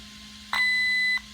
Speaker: and then to get to column five which i want i'm gonna push the program button one time and there's that one long beep